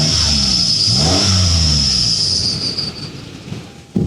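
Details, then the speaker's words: 2010 Toyota Vellfire 3.5Z, 3.5 L V6 with conventional automatic, quick engine rev before shutdown: a thin steady high squeal over the revs, fading as they drop; sounds like slight belt squeal plus an odd exhaust whistle, cause unconfirmed. "Sounds like a little bit of a belt squeal and a bit of a weird whistle coming out of the exhaust."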